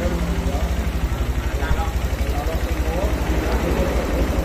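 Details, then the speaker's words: Honda Verza motorcycle at idle after setting the idle adjuster, set by ear without a diagnostic tool: a steady, even putt-putt with no hunting, misses or stumbling; a normal, correctly set idle. "ini udah pas stasionalnya ini kita engak gunakan alat diagnosnya ya kita gas dulu gasnya ringan guys enak stasioner juga"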